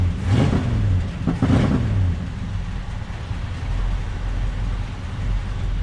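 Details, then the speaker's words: 1967 Ford Galaxie 500, 289 Ford V8, end of the 30-minute break-in: low, slightly uneven idle lope with two rev blips early; a good sounding engine, but owner thinks the carburetor and probably the timing need fine tuning. "It's a pretty good sounding engine. Probably the carburetor needs fine tuning, and probably the timing as well."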